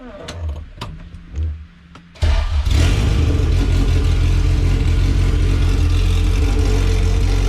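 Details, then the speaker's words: All-motor LSV Honda EF hatch on Hondata S300, coolant being added, throttle body adjusted out: cranks two seconds, catches and holds a fast steady idle well above normal; idle speed too high, throttle body to be adjusted down. "all right that was too high so i'm gonna adjust it down some and get to a comfortable spot"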